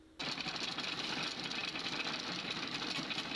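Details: Freshly overhauled 4TNE98 diesel engine, test-run temporarily on a stand to check for fuel or oil leaks, with the valve cover off and the valves visibly moving: a fast, even, light valvetrain clatter over the idle, which is healthy.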